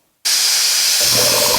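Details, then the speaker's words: Eaton/Ingersoll Rand air compressor after retrofit to a 7.5 hp motor starter: a sudden, steady sharp hiss of air leaking from a valve fitting that stops when covered by hand. It bleeds the tank down and makes the compressor run unnecessarily, so the part probably needs replacement. "I'll probably have to replace this piece because if I press my hand on it doesn't leak but if I release it you can hear it hissing"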